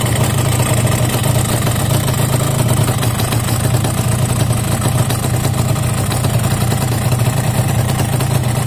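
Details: Yamaha RX-King two-stroke six months after piston rebore, block oversize 200 (formerly pinging and knocking from loose piston; owner reports high fuel use, block to be replaced): even, steady idle burble, no metallic rattle or slap; judged fairly smooth.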